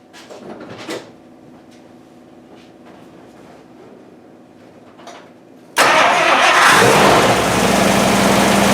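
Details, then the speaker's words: 1955 Buick Century, first start after carburetor rebuild with electric fuel pump priming, plugs and wires not yet changed, idle about 580–600: quick crank, catches at once, settles into steady even idle; normal start. "wow that was quick it just start right up well we'll see what happens when it warms up"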